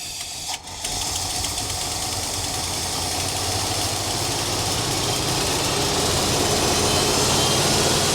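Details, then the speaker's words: 1966 Ford Galaxie 500 with new spark plugs and wires, poor fuel pumping, running rough: loud, steady hiss swelling over the engine beat for several seconds; source unknown. "What the actual heck was that noise? What in the devil?"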